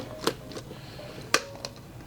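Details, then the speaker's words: Old Cardone heavy-duty front CV axle removed from lifted Subaru Forester, broken side with heat spots, turned by hand: sharp irregular clicks with dull catches, binds; seized CV joint. "like you can really hear it's like it binds and it clicks and stuff."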